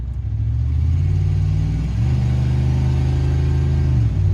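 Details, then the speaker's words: 1993 Chevy K1500 truck running rough and hard-starting, especially cold: after idling a minute it smooths out, but dropped into drive the idle sags and wavers near stalling; owner suspects computer, cause unconfirmed. "I went ahead and let it idle for about a minute and it's smooth right out and it started I believe it is smooth at but idle put it in drive it about wanting to shut off it"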